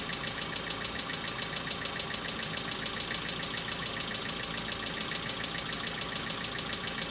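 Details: Hyundai Accent cold start, about -2 to -3°C outside: fast, even metallic ticking about two per second over cold idle, like hydraulic lifters tapping; owner says knocks grew more intense and longer-lasting than before.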